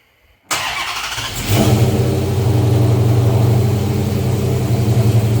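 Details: 2014 Dodge Charger RT 5.7 Hemi, first start after bolting on a 6.1 intake manifold with injectors and fuel rails refitted: quick crank, catches within a second, settles to a steady even V8 idle without hiss or misfire; normal start and idle.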